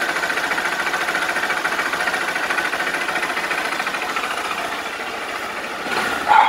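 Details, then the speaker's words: Honda Bros 160 motorcycle engine at idle with a dry, fast tapping of roughly two knocks a second, not very steady; abnormal knock that grew day by day, beyond the usual valve tick, source unconfirmed. "Mano esse motor 160 já é barulhento tá ligado mas esse barulho assim batendo seco desse jeito não é não é normal não tá ligado rapaziada"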